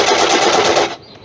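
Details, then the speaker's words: Woodturning a monkey puzzle bowl: rapid hard rattling knocks, about ten a second, briefly; suspected the soft pith banging against the tool at this speed, not confirmed. "I was wondering what the knocking was. Right, you hear it. There it is there. It's the pith."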